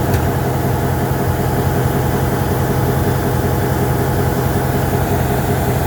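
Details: MP15 switcher locomotive on DO-1 that started right up, unlike the second unit that had a hard cold start on weak batteries; deep, steady diesel rumble, even low throb, no misses or knocks, normal idle.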